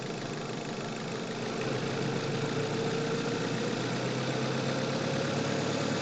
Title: Sound of Engine Knocking, Fuel Knock | Test Drive with Engine Bay Audio | Manual Car